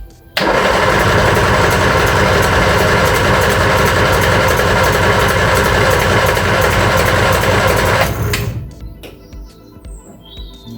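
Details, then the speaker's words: Reliant Regal Supervan 3 converted back from electric to petrol engine, start attempts: starter cranks steadily about eight seconds without firing; distributor points corroded, fault ultimately traced to loose terminals on the ignition coil. "right just um took the cap off and you can see in there the points have got quite a bit of corrosion on them so we're gonna get a little file run it in there make sure they're nice and clean and hopefully that is our issue"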